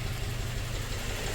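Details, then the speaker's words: 2004 Toyota Tacoma 4-cylinder, 141,000 miles, idle after swapping injectors: uneven low thump stumbling out of rhythm. The misfire moved from cylinder 1 to another cylinder with the injector, which quits when heat-soaked; no good field test exists, so swapping confirmed it. "When that injector gets heat soaked, it stops working. You can't really do a good field test on them, but a little bit of Swaptronics, we got it."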